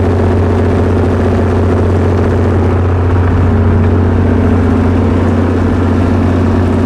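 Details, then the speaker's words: Perkins 6.354 diesel generator set, poor under load with excessive governor droop: heavy clatter with loping, uneven beat about three per second; owner suspects a misfire, unconfirmed. "i feel like the engine is misfiring which you'll be able to hear that and see that once we get it running"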